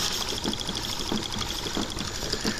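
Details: Late-1800s/early-1900s candle-heated Stirling engine machine driving a small generator for flashing lights and a fan: quick light ticking and rattling at a steady, even pace. Running smoothly.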